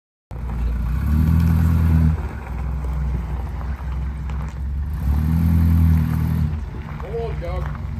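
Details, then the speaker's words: Rolls-Royce just started after storage, still cold: low, lumpy idle with an uneven beat, staying rough through two rev blips; feels a few cylinders down, and it never ran on more than four cylinders. "it's not very happy just yet it's sort of ticking over but it feels like it's a few cylinders down"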